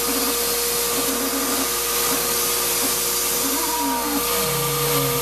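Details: Shop-Vac vacuuming coarse grit from a rock tumbler: constant high motor whine with rough, gritty edge; owner says dust previously pulled through the motor before adding a dust separator pretty much destroyed it. Grinding motor whine.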